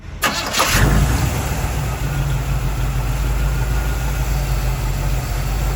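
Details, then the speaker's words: 1969 Chevy C/20 pickup cold start: it catches on the first crank and settles into a steady low idle. Power-steering whine was fixed by adding fluid. The lifter doesn't tick cold, only hot; a collapsing lifter is suspected. "I noticed the lifter doesn't tick when it's cold and then it does when it's hot"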